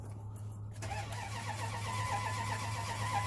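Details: 1998 Dodge Ram 1500 cranks but won't start: steady starter drone with even cranking pulses that never catch; crank sensor already replaced, communication restored, but ASD relay control lost and no crank signal seen on scope; SCI bus issue suspected.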